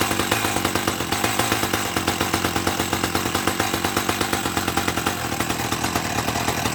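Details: 1984 Dolmar 100 two-stroke chainsaw, warm, after repairing its snapped throttle linkage: a crisp buzz with fast, even firing pulses and a steady note throughout, running cleanly and healthy.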